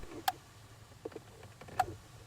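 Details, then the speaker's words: Skoda Fabia Mk1 1.9 PD horn relay, under the dash integrated into the voltage control unit, ECU-controlled circuit, heard inside the cabin. Two crisp single clicks about 1.5 s apart; relay switching normally. "You can just hear it click there. And again. So that's working fine."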